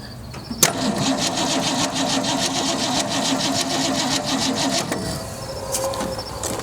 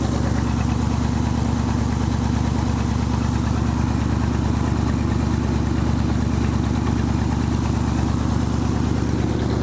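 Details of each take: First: Abandoned 1965 Mustang, 289 2V V8 with 4-speed manual, after 30 years in a junkyard, with new points and condenser: steady starter whirr with a quick uneven rhythm, engine spinning over but never catching; cranks, no start, spark present. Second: 1965 Ford Mustang 289 2V V8, 4-speed, first run after 30 years in a junkyard, warmed up: deep even burble at steady idle, no misses or knocks; suspected vacuum leak and leaking coolant noted. Normal idle.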